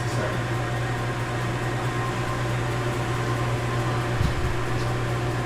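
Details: Commercial gas convection oven base with the main gas valve on, blower switch set to auto and thermostat turned up, before the burner fires: a steady, even low blower-fan hum with no rattles or roughness, indicating normal blower operation.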